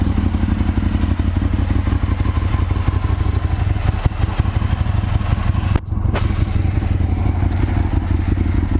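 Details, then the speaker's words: 2001 Aprilia RSV Mille R race bike, Rotax V-twin, 3200 km, new Power Commander and battery, loud heat-wrapped exhaust; deep, strong rumble, a brief throttle dip that recovers cleanly, no clatter, running really good. "sounds like a beast it runs really good"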